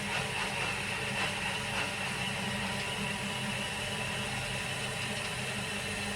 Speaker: Sounds like it's trying to get a bit more out.